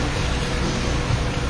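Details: Honda Fit after engine overhaul, idling during break-in at the shop: smooth, even low idle with soft steady exhaust beat and no knocks or ticks. Very quiet, healthy four-cylinder.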